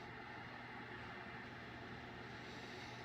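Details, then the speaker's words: Lasko tower heater at its first startup of 2020, just powered on: a quiet, steady airy rush with a faint low hum, even throughout with no rattles or scraping. Running normally; dust could be smelled burning off. "we go we got power it's running"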